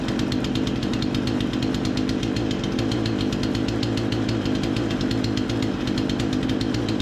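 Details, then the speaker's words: Remington 46cc chainsaw, low-speed screw turned about an eighth clockwise to lean a suspected rich mixture: fast even two-stroke popping holding a steady idle, no surging or stalling; normal idle. "I think we've got that pretty well dialed in but we'll be able to tell once we make a few cuts and everything as well"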